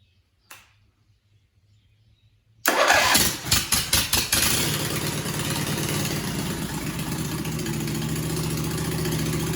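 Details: John Deere/Suzuki "Frankenstein" outboard engine started on choke without a muffler: a few cranking catches, then a harsh, loud bark.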